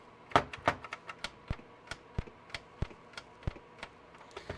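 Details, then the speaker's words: Vintage console from a traded-in batch, on correct input with jumper pack fitted: sharp irregular clicks, roughly three a second, at switch-on; it never boots. "This is the same thing. It just makes a clicking noise when you turn it on."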